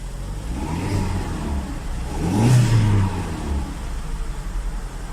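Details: Hyundai Elantra after no-start issue repair: engine runs steady, then revs up cleanly and drops back smoothly, no misses, knocks or rattles; running normally.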